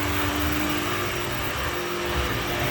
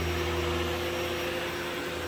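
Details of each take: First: Shark PowerDetect vacuum in its quiet mode, brush roll at full speed, moved from carpet onto hard floor: steady motor hum with a dull, rough rubbing that rises and falls in waves. Brush roll rubbing on the hard floor. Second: Shark PowerDetect vacuum in quiet mode on carpet, brush roll at full speed: steady even low motor hum with soft airy rush, no surging or rattle; normal quiet-mode running.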